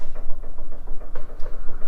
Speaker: foreign that's all I need to know that this sway bar is worn out and ready for replacement